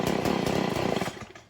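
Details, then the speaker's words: Stihl FS 40C two-stroke weed eater at idle after the low-idle screw was turned about an eighth turn clockwise: uneven putter that fades and dies, a lean idle stall from too little fuel. "see that okay so i was too lean which means my my engine wasn't getting enough fuel to maintain an idle so we know that it dies there"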